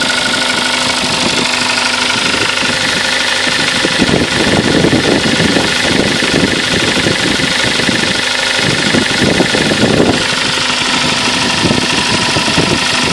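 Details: Kia Sportage engine at 42,000 km idling steadily with a sharp, busy tapping knock running through it; something knocking inside, cause not yet pinned down.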